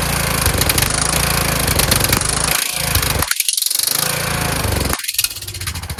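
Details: Kohler Courage engine on a tractor, after a cylinder head swap, carburetor replacement and valve lash adjustment, started on choke; speed dips and surges rather than holding steady. Owner suspects the throttle bracket but the cause is not confirmed.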